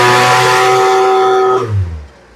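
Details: Poulan Pro leaf blower, new fuel lines fitted, during carburetor high/low screw adjustment: small two-stroke screams at a steady clean high pitch at full throttle with no stumble, falls away smoothly; normal full-throttle rev.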